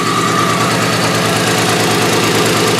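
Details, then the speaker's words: Demolition derby car in rough shape after a race, with smoke coming from the radiator area, a two-stroke smell underneath and possibly no fluid left. Loud, lumpy idle with uneven beats and stumbles about twice a second; misfiring at idle. "There's smoke coming out of like the radiator. You can hear misses everywhere."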